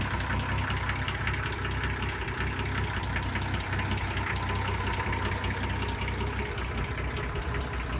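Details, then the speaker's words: 1966 Ford F100 at steady idle with an uneven knock about two or three per second riding over it; knock of unknown cause, battery good, oil pressure seems good. "I mean, it's got a knock or something in it, but it's got good battery."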